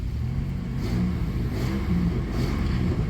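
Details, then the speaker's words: 1994 Chrysler Town & Country AWD minivan engine after replacing over-long manifold bolts that hit the EGR tube: steady low note revving up and down, no more pop-pop manifold leak ticking; leak appears cured. "doesn't you don't hear that pop pop pop pop pop pop pop pop pop pop pop anymore like a manifold leak or whatever it sounds good that was it"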